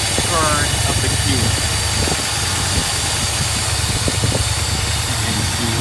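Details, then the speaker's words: 1982 Mercedes 380SL after a new distributor cap and rotor, idle air control valve repositioning and vacuum lines per factory manuals; steady, even, smooth idle with no misses, running well with no smoke from exhaust. "is really running well no smoke out of the exhaust"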